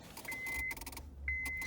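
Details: 2007 Honda Accord 2.4 automatic: keys rattle, then two short high buzzes when the key is turned to start, with no crank; diagnosed as a faulty ignition lock cylinder, possibly also the ignition switch.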